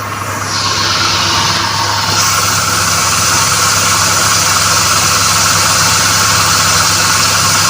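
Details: Volkswagen idling after two accessory-belt bearings, including the tensioner, were replaced following a stethoscope diagnosis: a steady, even hum with no squeal or chirp from the belt, so the noise is gone.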